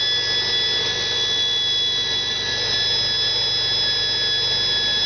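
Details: 1971 Chevy Nova, 260 inline-6 with Offenhauser intake, Holley 390 carb and Stovebolt cast split headers at idle: constant high thin whistle over a low idle rumble from a vacuum leak being chased.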